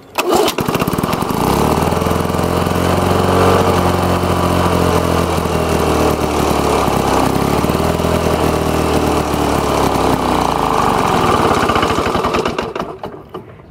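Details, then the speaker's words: Lawn-Boy two-stroke mower engine with air vane governor, set to high speed: even drone holding a low, lazy speed; governor spring tension too weak, fix is tightening the governor collar. "could hear how I'm low the edgy ones was running that's and I had it on high speed so what I'm going to do is tighten the governor collar"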